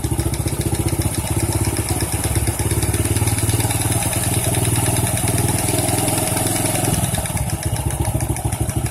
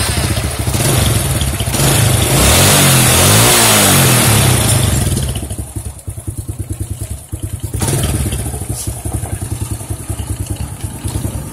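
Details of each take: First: Honda C-series small motorcycle at rough idle with a dull irregular clunk from the clutch side; inspection found one loose bolt striking the clutch when it operates, causing the knocking. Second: Honda C-series motorcycle with a noisy clutch, after oil drained, clutch cover gasket and cover refitted: sharp revs, then a steady even idle beat, no rattle or clatter from the clutch side; normal running, fixed.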